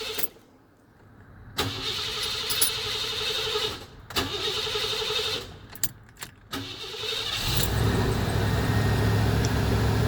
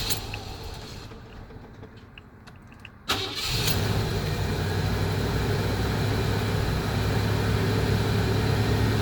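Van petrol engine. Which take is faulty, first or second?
first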